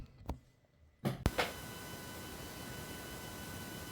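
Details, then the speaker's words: USB-C to mini-jack adapter cable no. 1 feeding a Rode VideoMicro into a Samsung S23 Ultra: constant hiss with faint steady high whines even when silent, despite gain turned down; the adapter adds a noisy floor. "kablem numer 1 jest tak że gdy nic nie mówię widzę że on cały czas generuje jakiś jakiś dźwięk generuje"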